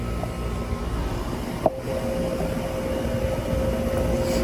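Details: Air conditioning condenser just restarted after repairing wires chewed by animals: a single click, then a steady fan rush and low compressor hum with a faint even tone. Normal running.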